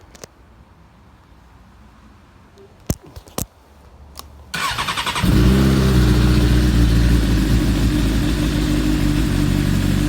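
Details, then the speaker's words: 2008 Suzuki GSX-R 750 after installing a Motion Pro Rev2 throttle: a few clicks, short starter whir, then fires and holds a fast, even idle with crisp firing; normal start and rev. "Now I'll just go ahead and show you that it works. So, and then I'll start it up."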